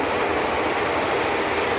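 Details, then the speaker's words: Supercharged Audi A6 rescued from a junkyard, idling after engine work: even, quiet idle with zero timing chain rattle; the loud cooling fan ran because the coolant temperature sensor on the crossover pipe was left unplugged. Engine healthy. "Outside of the fan noise, this thing sounds beautiful. I don't know if you guys can hear it, but the engine is super quiet. We got zero timing chain rattle."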